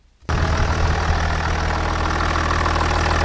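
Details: Jaguar XJ diesel just after a fuel filter change with the new filter filled with fresh diesel; catches cleanly and settles into a steady, even idle with a smooth low hum, no misses or knocks.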